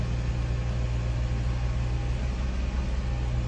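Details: Audi S4 B5, bought cheap in the UK as a running car, idling in neutral after start-up: a steady, even low idle with a smooth exhaust note and no knocks or misses. The engine sounds healthy.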